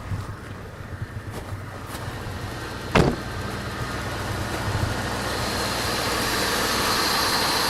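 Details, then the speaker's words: Oldsmobile Silhouette van that sat with a dead battery, just started, battery later found dead while alternator works. After a few clanks and a door thump it settles into an even, quiet, smooth idle with no misses or knocks. "Running pretty smooth. I'll unhook the truck and back it up and turn the truck off and see if this thing stays running. That's pretty quiet, running pretty good."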